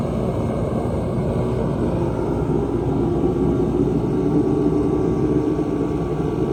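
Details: 140,000 BTU Mr Heater fan-forced diesel heater, a few years old with heavy mouse damage, after cleaning, fuel pressure about 6.5 PSI: steady, even roar with a low rumble and no surging, popping or flutter, burner and fan running cleanly.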